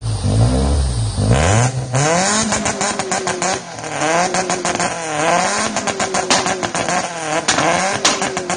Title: Civic 2 Step with spun bearing